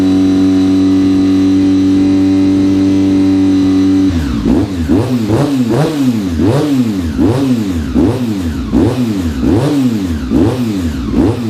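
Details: Honda RC45 RVF750 V4, after new spark plugs (old ones very bad) and injectors tested leak-free: repeated throttle blips, revs rise and fall cleanly with crisp pickup, no coughing, misfire or backfire; healthy.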